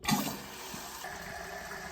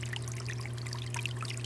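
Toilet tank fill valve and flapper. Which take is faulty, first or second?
second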